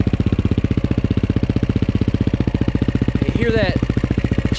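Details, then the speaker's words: KTM 530 EXC-R single-cylinder cold December start on choke: idle thumping about four times a second with metallic clatter on each beat; cam chain slap because the hydraulic tensioner lacks oil pressure with cold, thick oil. "a chain tensioner makes way too much noise in these bikes because it's a hydraulic chain tensioner it relies on the oil pressure inside the motor to tighten the cam chain"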